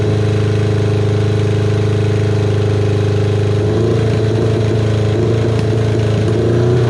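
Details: Kawasaki KZ550, carburetor just reassembled with air screw set about half a turn out, cylinder one idling poorly only at idle: steady low idle turning lumpy and uneven with irregular speed hunting; rough idle from air leaking past a split intake boot.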